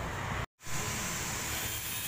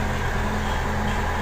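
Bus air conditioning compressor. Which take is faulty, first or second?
first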